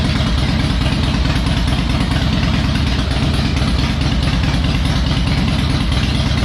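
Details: Harley Electra Glide owned almost five years, after new spark plugs, a cleaned air filter and fresh oil, not yet warmed up: even, loping V-twin idle with deep steady beat, no stumbles or popping, running better; normal idle.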